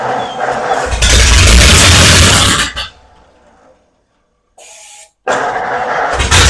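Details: 1936 Ford Flathead V8 in a belly tank racer, just revived after a new starter, plugs, fuel pump and carb rebuild, briefly run with no cooling water hooked up. Loud open-exhaust roar between short cut-outs, no knocks or misses; healthy running.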